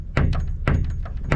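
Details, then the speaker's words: Boat solar panel wiring, wind blowing: unused 5 mm cable gland inserts knocking on a nearby bolt, sharp irregular wooden taps about twice a second; fix planned with sealant blob. "So I said to we and they rattle on a little bolt, right? Look. So they tap on this bolt here and they just do that."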